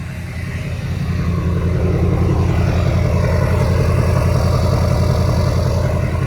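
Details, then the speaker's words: LML Duramax diesel truck, owner's first diesel, restarted after fuel filter housing replacement; deep, even diesel clatter settling into a smooth, steady rumble with no knocks or misses, running normally and sounding healthy. "I just like the way diesels sound. Like this is my first diesel, the only diesel I ever had. And I like the way it sounds."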